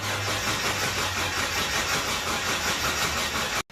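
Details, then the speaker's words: Hyundai Galloper LPG engine cranks steadily on starter but never fires; fuel delivered but no spark, as distributor's built-in TDC/crank position sensor gives no ignition signal; distributor replacement needed. "지금 스타트를 해 보니까 지금 이게 점화 코일이 그든 점화가 돼서 엔진에 있는 연료를 태워서 시동을 거려야 되는데 엔진은 이제 구동이 돼서 스타트를 해보는데"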